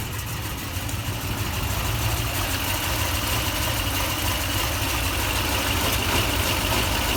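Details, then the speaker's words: 2004 Toyota Tundra V8 idling after fan bearing replacement and timing belt change: even, settled smooth low rumble with no rattle or fast chatter; sounds better than before, when it was louder. "that sounds better right before it was totally it was louder and cleaner quickly class so it's just a little shakily wakely"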